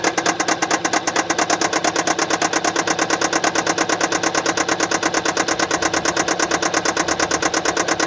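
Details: 2015 Kia Sportage SL, 2.0 L (1998 cc) G4KD petrol, 122 kW/166 PS, 118,709 km, at idle: a fast, even, sharp tick over a steady idle, caused by a faulty fuel injector.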